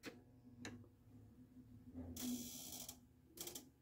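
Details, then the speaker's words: Harlem Globetrotters pinball machine with an Altec test board: a faint steady buzz under mechanical clacks and the flipper never strokes; an end-of-stroke switch with only one wire suggests the flipper wiring is wrong. "Now, let's see if this guy works. Here we go. No. I can hear it buzzing."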